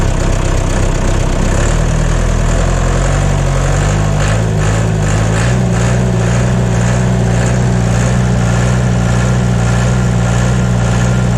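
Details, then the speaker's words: John Deere 2030 diesel tractor, cold and not yet warmed up, idling right after reinstalling the overhauled and calibrated Stanadyne/Roosa Master injection pump: a low, steady, even beat with no misses or knocks, no blue smoke, burning clean; normal idle. "burning clean it's cold out here today and there's no blue smoke coming out and it hasn't warmed up at all so if it'll do that when it's cold she'll run very very efficiently"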